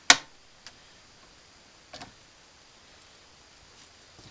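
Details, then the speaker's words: 1968 Gravely C8 tractor magneto after cleaning and adjusting the points, turned by hand: a few sharp isolated snaps, nice bright blue spark at cranking speed; normal magneto spark. "but I got a nice bright blue spark now if it even you know cranking speed take a nice blue sport"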